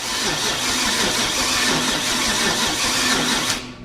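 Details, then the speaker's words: 1969 Chevy 327 V8 cranked on heavier-gauge jumper cables: brisk, even cranking, much faster than before, but the engine never fires. The ignition points were later found welded together. "it cranks much, much better, much faster."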